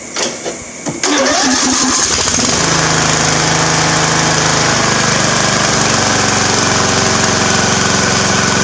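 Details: Free Craftsman riding mower engine after oil change; cranks briefly, fires at about one second, then settles into a loud, steady, even run with no misses or knocks, runs great.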